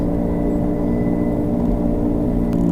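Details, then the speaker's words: 2007 Subaru Legacy, both front wheel bearings replaced the previous November: while driving, a steady droning hum under road noise that shifts when the wheel is jerked left, loading the inner half of the bearing; worn inner front wheel bearing. "Now, if we take the car, now notice how it changes when we jerk the wheel to the left. So that tells me that's the inner half of your wheel bearing."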